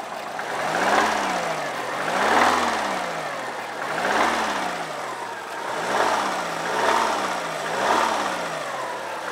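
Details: 2002 Subaru WRX turbo petrol engine blipped repeatedly, knocking rattle on each rev; engine needs replacing.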